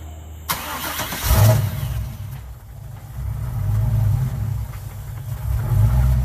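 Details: Car "Suzie" just after new starter fitted, started on a weak battery; quick crank, catches at once, loping idle that swells and dips, sounding like a roller cam; starts and runs fine.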